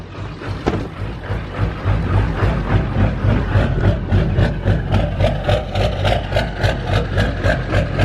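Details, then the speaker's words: Ford diesel truck first running on its own after fuel system purge, air bubbles in the fuel, white smoke: uneven idle with lumpy beats around three a second and sharp ticks, sounds like missing on some cylinders; rough running. "My truck's running. There's white smoke and it sounds like it's only running on a few cylinders. I don't like that noise."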